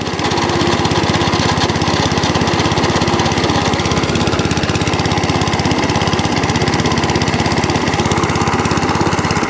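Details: Cylinder mower after new cylinder gear and pulley tensioner: small single-cylinder engine at a fast, steady beat without misfires or rattles, running properly; drive cable had come out of its housing.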